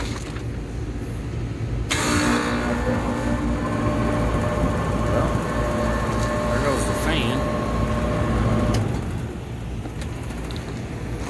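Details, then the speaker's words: Old Lennox HVAC condenser with no cooling and a tripped high pressure switch, fan motor tight: fan spins up with steady hum and dry whirring, then coasts down fast; worn condenser fan motor bearings. "could hear some bearings there so i saw it stop pretty quick"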